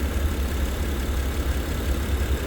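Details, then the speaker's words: Honda Pilot V6 with 227,000 miles, a dealership trade-in at auction: a low, even idle hum with steady level, no knocks and not a hint of vibration. Normal idle. "These things are so... Listen to that. I mean, not a hint of vibration."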